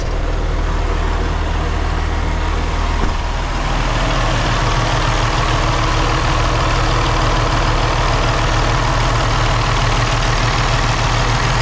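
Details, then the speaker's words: 2017 Freightliner Cascadia Evolution, Detroit DD15 diesel with DT12 automatic, idle turned up slightly and air conditioning switched off so the cooling fan stops, heard outside: deep, even idle with a steady low rumble, no knocks or misses; normal diesel idle. "I'm going to turn off the air conditioning because it's making the cooling fan run and all you're going to hear is the fan running I want you to hear the engine running"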